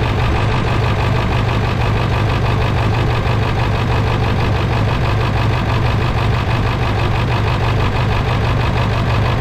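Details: 1999 Ford F-350 7.3 diesel, cold start at idle: diesel clatter with low, slightly uneven beat about seventy per minute while fuel bowl water drain valve leaks diesel, before valve replacement; rough idle cause not confirmed.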